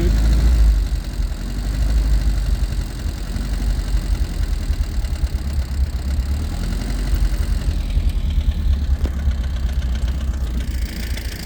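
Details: Freshly restored 1967 Alfa Romeo Giulia Sprint GT Veloce, 1600 engine, just started, not yet tuned or timed and idling a little low: uneven idle with light top-end ticking; tappety cams.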